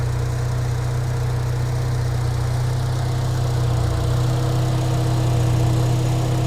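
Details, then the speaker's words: Engine idle after throttle body cleaning: smooth, even low rumble with steady beat and no misses or ticks; idle now healthy. "The idle sounds good to me now. I should have done it before I cleaned it."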